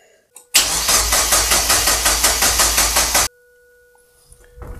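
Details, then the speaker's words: Mazda MX-5 Miata first start attempt after refitting the engine, spark plugs reinstalled; about three seconds of fast, even cranking with compression pulses but no firing, crank no start with no fuel arriving, owner suspects the fuel hoses are swapped. "il y a pas d'essence là d'accord il y a pas d'essence"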